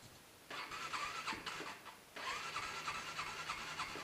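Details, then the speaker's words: Motorcycle cold start at about -15° in an uninsulated garage: two long, wavering cranking bursts before it catches and runs rough. Bike has also been cutting out while riding. Owner suspects a weak battery, not confirmed. Hard starting in cold weather. "uh okay so it looks like it could be a problem with the cold i'm not sure like i just the battery is just too crappy to handle the subzero temperatures"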